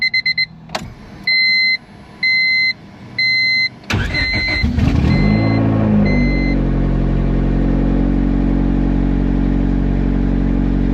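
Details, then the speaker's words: Turbo Honda Civic with fresh built D16 single cam, key start after replacing factory main relay with 40 amp relay: dash chimes, short crank, quick catch, smooth steady idle; relay fix works. "All right, well, it definitely seems like it's working, guys."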